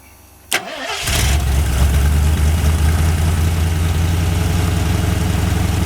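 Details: Long-sitting 1981 Ford Mustang 5.0 V8, truck mufflers, no cooling fan: brief crank, catches and settles into steady, even, quiet low idle with no knocks or misses; sounds really good, normal idle.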